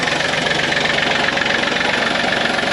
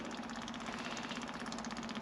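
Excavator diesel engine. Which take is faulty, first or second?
first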